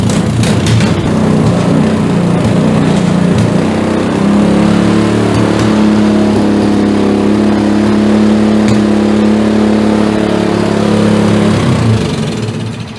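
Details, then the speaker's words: PowerSmart DB7006 snowblower, after slight idle screw tuning: steady even drone at constant pitch, no misses, surging or knocks; running cleanly. "Running pretty decent there. Just had to tune the idle screw there just a little bit."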